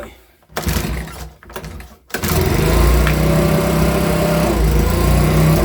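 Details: Makita BHX2500 24.5cc 4-stroke leaf blower, brought in as a non-runner, quickly diagnosed and cover refitted; warm, started without choke: two short pulls, then it fires and holds a steady, even buzz with no misses, running healthy.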